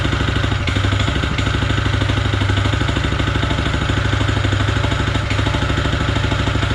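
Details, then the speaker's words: Honda GX160 engine on an M80H power trowel: hard regular metallic clatter on every turn over low exhaust note, clear knock between crankshaft and connecting rod; machine deemed unserviceable, unlike a healthy identical engine running much quieter. "відчути явний цокіт між колінвалом і шатуном. Ця техніка не є дієздатною."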